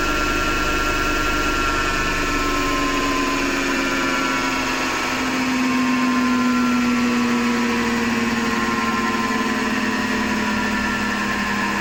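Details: Hotpoint Ariston FMD963 washing machine running with a harsh, gritty hum whose tone rises and falls with drum speed; clear grinding, and the owner suspects the motor rather than the drum and plans to remove the belt to test.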